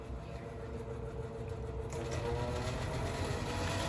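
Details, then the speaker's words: 1985-86 Lasko Super 3713 20-inch box fan, 3-speed shaded-pole 6-pole motor, before restoration, on low speed: slow fan drone with a thin steady whine; motor sluggish, bearings spin down fine, cause unknown. "anyways yeah you can start to hear the whining sound yeah i don't know the motor hasn't blown up on me yet so it's not dead and low it's really slow on low very whiny"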